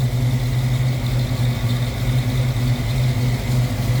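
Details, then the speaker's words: 1965 Ford Mustang Fastback 2+2 A-code V8, Edelbrock carb with electric choke, heard under the open hood; smooth steady deep burble at even idle, no ticks or misfires; normal idle. "Sounds good, looks good underneath there."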